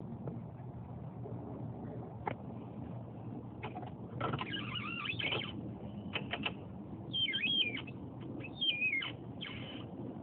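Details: Talaria electric bike: sharp chirpy squeaks sweeping downward in pitch each time the rear suspension is compressed.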